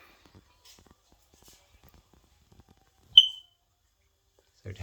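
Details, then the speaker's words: Mains-powered heat/smoke alarm about a year old, after a fresh battery: a single short high-pitched chirp in a quiet room, chirping persists after battery replacement; next step is cycling the house mains power. "so replacing battery didn't resolve the issue so what I'm gonna do is I'm gonna restart the main power of the house"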